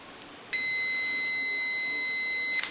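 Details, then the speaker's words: AE Monophone rotary desk telephone, receiver capsule reading about 3.2 on the meter; a single steady high beep held about two seconds; the capsule is nearly shorted and bad though it still passes a little receive audio. "so that receiver capsule is basically bad even though it has a little bit of receive in the audio"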